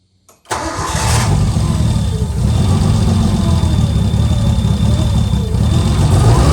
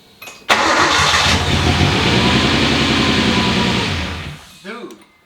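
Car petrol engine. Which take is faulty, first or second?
first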